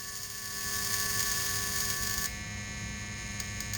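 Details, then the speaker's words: Magneto coil from a 1916 Evinrude rowboat motor on a Merc-O-Tronic tester at minimal power, about 1 on the scale: high, steady buzz of consistent spark that holds evenly then cuts off with a few ticks; coil is good. "turned it back a little bit and i'm trying to use the minimal amount okay so on the mercatronic scale it looks like it's about about a one arm okay so indeed it looks like i have a good coil"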